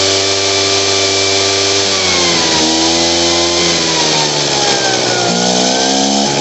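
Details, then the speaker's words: Poulan Pro PR46BT backpack blower before carburetor adjustment: high whine sags in revs twice and struggles to recover, tries to stall near idle and bogs on throttle, won't throttle up; carburetor out of adjustment. "s down near idle, it'll try to stall out. And if I hit gas, it'll bog out. It won't throttle up."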